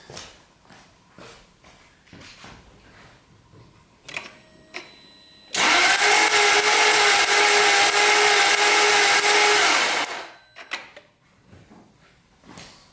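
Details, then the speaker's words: 1999 Jaguar S-Type V8 compression test, cylinder that first read zero, retested after a paper-towel check showed some air: steady fast starter whirr with no distinct compression beats, gauge just off zero; very low compression, oil to be added next. "Alright, it's not great, but I mean it's off 0. There is actually some kind of reading there."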